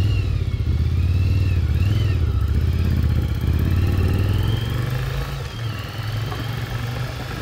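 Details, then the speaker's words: 1996 Yamaha Virago XV750 V-twin, sat untouched about 10 years in a garage, now cleaned up, test ride: deep even thump pulling smoothly through the revs, no misses or knocks; running great. "This was actually super easy to get cleaned up and running great."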